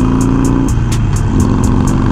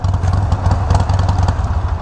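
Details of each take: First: Harley Iron 1200 with Vance and Hines slip-ons idling: V-twin rumble with a light metallic ticking rattle from an aftermarket chin spoiler whose screws, fitted without Loctite, loosened after a long ride. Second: Harley-Davidson Iron 1200 V-twin with Vance and Hines slip-on exhausts: deep, loud, rowdy pulses rising and falling with quick throttle blips, firing evenly and cleanly; normal engine revving.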